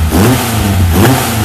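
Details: Ford SOHC 2.0 Pinto four-cylinder in a Sierra-based kit car with twin Weber 40 DCOE 151 carburettors being balanced with an airflow meter; engine picks up cleanly and smoothly through a quick rev, no stumble or hesitation, normal revving.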